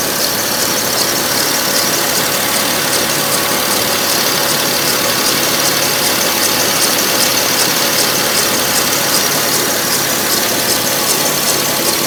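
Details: 2006 Porsche 997 S pre-facelift, 53,000 km, at idle; busy metallic ticking over bright hiss, about two to three per second; owner says it sounds strange somehow, cause unknown; unusual engine noise at idle.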